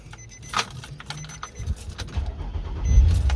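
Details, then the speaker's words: 2006 Nissan Murano no-start, after replacing the failed fuel pump: keys rattle, starter turns briefly, engine catches and settles into steady running; starts normally. "encendió amigos el problema la bomba de lo que ha dicho la prueba anteriormente"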